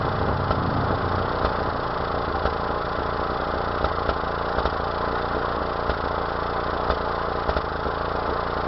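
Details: 1992 Mazda B2600 pickup idling unevenly, steady rumble broken by irregular stumbles and pops from a misfire of unknown cause.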